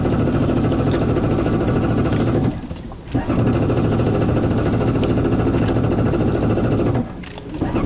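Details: Yamaha WaveRunner hard to start on the water every time though fine in the shop: long runs of churning cranking with short pauses, not settling into clean idle; hard starting, cause not evident.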